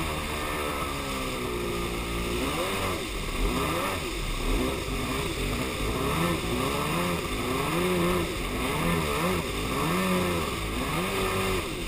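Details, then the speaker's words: Superjet two-stroke on the water: revs unevenly with a lumpy, stumbling note, as if on one cylinder; began after refuelling, persists with fresh gas, compression even, plugs look okay; plug wires or ignition suspected. "Yeah, something ain't right. It's like it's running on one cylinder. That's really what it feels like."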